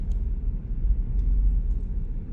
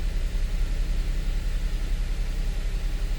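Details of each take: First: 2013 Audi Q7 3.0T supercharged, misfiring when revved and mixing oil and coolant: deep, uneven rumble that lurches and shakes badly; codes for cylinder 3 and 6 misfires, random misfire, a small EVAP leak and O2 sensors. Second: 2013 Audi Q7 supercharged 3.0T first start after repair for misfire and oil-coolant mixing; steady low even idle with no misses or knocks, slight vibration possibly from engine mounts, not misfire-type; normal idle.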